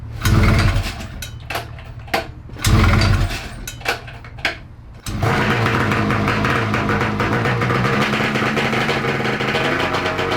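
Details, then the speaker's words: 1994 Ski-Doo Mach 1 670cc 125hp two-stroke go-kart after carburetor rebuild: after short bursts it holds a fast, buzzy high idle; suspected throttle cable tension stopping carb slides closing fully; fuel leak from nicked line also present. "i believe that the idle was so high because the cable had a little bit of tension on it not in the loud not allowing the slides to come all the way down"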